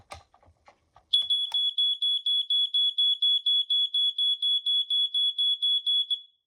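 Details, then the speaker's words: Vintage smoke alarm, similar design to an 86 RAC, with an extremely loud sounder, test button pressed: loud high-pitched beeps about twice a second for five seconds; sounder working properly. "Very loud, but very nice too."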